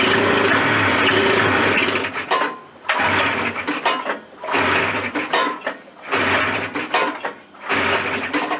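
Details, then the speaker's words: Suzuki Fury two-stroke snowmobile engine on fresh fuel and choke, ignition suspected: bursts into a raspy run, then dies away about every second and a half, catching and stumbling repeatedly; rough running, problem still present. "it's enough a robic for now so I think we've successfully determined that the problem still [Music] exist"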